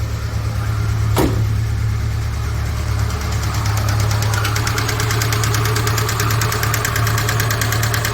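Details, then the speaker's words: 2008 Mitsubishi Outlander, 166,000 km, due for timing chain, cold start: quick, even tapping about three times a second locked to engine speed; noisy hydraulic lifters, worse when cold. "И также присутствуют посторонние звуки при работе двигателя, особенно на холодную. Но это гидрокомпенсаторы."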